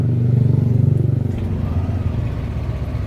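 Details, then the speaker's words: Yamaha NMAX scooter, about one year two months old, warming up after sudden no-start traced to a weak battery; the owner warmed it up for two days; low, steady putter of about four beats a second, no misses or knocks, healthy warm-up idle. "kalau saya sih kendalanya motor saya tuh di aki ini saya coba panasin dulu ah dua hari soalnya"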